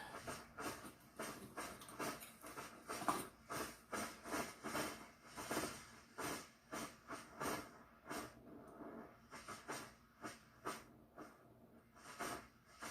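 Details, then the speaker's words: Svea 123 backpack stove, late-1970s, first firing in 40 years on new fuel: burner roar surges and fades about twice a second instead of steady high heat; pulsing, owner suspects clogged jet, unconfirmed. "Well, after 40 years, I'm a little different also, so it usually doesn't do that pulsing. It'll just get to that high heat range, but maybe it's got"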